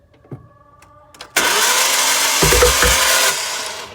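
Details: Daughter's 2012 Ford Mustang 3.7L V6 Cyclone, 130K miles, lost power while driving: fast even starter cranking with no firing; crank-no-start from crankshaft timing sprocket slipping due to sheared pin, interference engine likely needs replacing.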